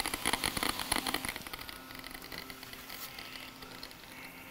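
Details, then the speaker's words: Laptop logic board (1466, no-backlight repair) with irregular Geiger-counter-like crackling ticks over a faint whir, first mistaken for the speaker; the cooling fan bearing is worn out. "oh wait that's not the speaker at all that's a fan bearing yeah that's actually the fan bearing"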